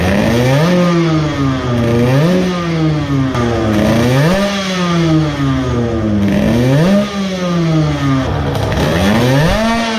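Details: Modified moped two-stroke with a ported block, a new intake manifold and a larger carburetor, with the airbox removed. It winds up and falls back, breaking up and sputtering near full throttle.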